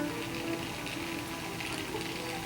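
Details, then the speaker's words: Oxy-acetylene gas welding of steel (no argon, TIG substitute) with slightly dirty tip: soft light crackling sizzle like one french fry in a shallow pan of hot oil, the normal frying sound of a properly hot weld puddle. "they're just frying like one french fry in a shallow pan with just a little bit of oil in it just to see if the oil is hot you put a little piece of onion in there that's what it sounds like to me"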